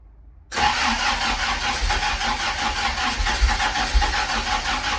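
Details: Ford prototype Corsair GT, fuel-injected Essex V4, first start in 1.5 years on a freezing cold day: it catches and settles into a rough, uneven idle with occasional stumbles, a slight cold-start misfire.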